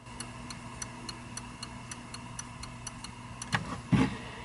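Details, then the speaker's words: Cactus Canyon Remake saloon door mech (Chicago Gaming upgrade kit), upper door switch after adjustment: sharp even ticks about every third of a second, then two louder clacks as the door moves, clicking cleanly on open and close. "My my door is coming up plenty far, but we're listening for the click on open and close."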